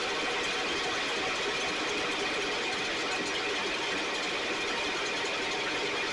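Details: STIHL 6R 450 two-stroke backpack blower after cleaning and repair (idle had fluctuated and could not be adjusted): steady high-pitched roar at even speed with no surging or stumbling, running much better though still loading up slightly, with carbon buildup suspected.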